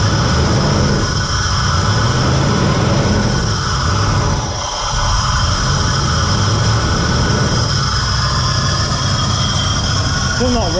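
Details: VN Commodore that sat for years and ran poorly, started after wiring repair restored 5 V to the throttle position sensor (0.5 V idle, 4 V full throttle); low even idle with only a slight dip midway, no stumbling.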